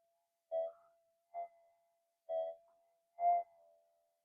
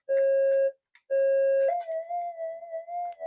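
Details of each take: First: Minelab GPX metal detector on the bench: a faint steady hum and background murmur with clean mid-pitched tone bursts every second or two; a quiet, stable threshold still responding to targets. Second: Minelab GPX metal detector on the workbench with a lithium pack charging nearby and a TV possibly on: two clean beeps, then a wavering, unsteady threshold tone that never settles, very noisy, likely from nearby interference.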